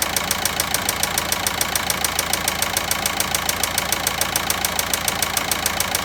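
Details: Volkswagen Passat 1.9 engine at steady idle with a sharp, crisp, very regular knock about 207 a minute; engine knocking, cause not yet pinned down.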